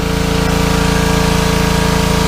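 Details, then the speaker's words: Small petrol engine on a pressure washer that sat over a year, test-run after a carb clean that cleared a clogged bowl-screw jet, oil and dried fuel: a steady, even drone with a smooth fast pulse and no misses or surging; running normally. "Well, sounds like we're cooking with gas. Let's go and have a look. That's making a treat now, Aaron."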